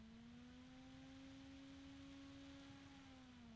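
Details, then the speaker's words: Asia Horse PC case fan, the good unit from a set where one fan has a bearing vibration and noise: a smooth, steady low hum with an even tone and no rattle or ticking, running normally. "okay now this one doesn't have that noise yeah this one's much"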